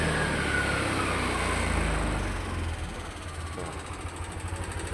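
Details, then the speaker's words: Yamaha Aerox Connected scooter that ran low on oil: rough idle with quick light regular clatter, smoother at high rpm once VVA engages; valve clearance too loose, VVA rocker also found sticking. "Jadi ini suara kemeletek juga bisa dari sini settingan klepnya dia terlalu longgar."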